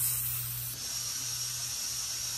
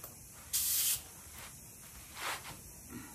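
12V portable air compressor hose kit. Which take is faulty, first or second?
second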